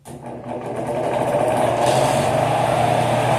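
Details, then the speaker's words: Arno fan whose bushings were replaced with ball bearings, failing a week later: rattling clatter over a steady hum on startup, about four taps a second; the thinner shaft sits loose in the bearing bore because it wasn't properly swaged to fill it. "Mas o principal defeito aqui é esse barulho quando começa. Por quê? Porque o eixo ou o rolamento, né, fica com um espaço entre o eixo e o centro do rolamento. Então o eixo fica batendo ali, solto dentro do rolamento, porque o eixo do arno ele é um pouquinho mais fino."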